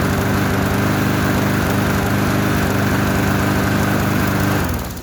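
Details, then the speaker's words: Trash-found lawnmower running after fresh gas, no air filter or housing, owner attributes slight roughness to that; loud steady single-cylinder drone at constant speed, then winds down at shutoff, no smoke or knocking; normal running. "this thing will probably last a couple of years if that there's no rust on it tires in good shape motor ran good no smoke no knockin"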